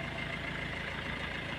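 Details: Maruti Suzuki Ertiga diesel that starts and dies within seconds with the check light on: an uneven, lumpy idle with a wavering beat about to die; suspected to be fuel starvation from the injection pump, nozzles or fuel pump motor.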